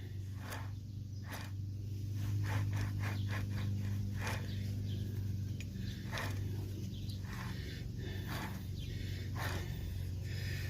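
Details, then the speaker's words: Truck front hub with the axle driven out, turned by hand: irregular gritty clicks and scrapes over a steady low hum from dry, crunchy bearings; the hub also looks possibly bent or warped, as if it hit something hard. "Those bearings are just a little bit dry and crunchy, and I thought this hub, I thought it was also bent, like somebody hit something really hard."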